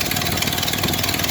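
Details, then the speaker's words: 1931 Ford Model A four-cylinder, first start in several years after points, float and timing fixes, idle lowered: low, steady putter with even exhaust beat, no knocks; healthy idle, slight tailpipe leak. "Sounds good. Has a nice model a sound out of the uh exhaust."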